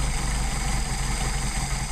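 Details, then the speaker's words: Mercedes 190SL with rebuilt Solex carbs, throttle linkage disconnected so each carb is set individually; turning the idle mixture screw in and out gives a low, uneven, lumpy idle that stumbles and slows. Rough idle from incorrect idle mixture setting. "What we're going to do is adjust that in and out and listen for the engine to stumble. So we go in. Little stumble, little slow down, back it out."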